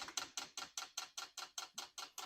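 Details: Unboxed diesel heater during manual fuel priming: crisp, even ticks about five per second with silence between them, the dosing pump priming normally.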